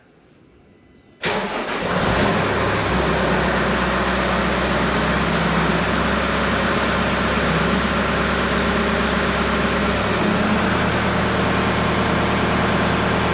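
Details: Case SV280 skid steer diesel starting after replacing rusted leaking main hydraulic supply line and two steel lines with rubber hoses: starter catches after about a second, settles into steady, even idle, no misses or knocks; checking for leaks.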